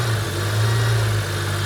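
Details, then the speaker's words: Car with 204,000 miles that wouldn't idle and began making a weird noise. Low idle drone wavers and hunts. Strong suction on the oil filler lid points to a blocked crankcase breather (PCV valve): rough idle. "She's having trouble. Can you hear that? There's quite a lot of suction on that lid, Yeah. which means it's got a block breather."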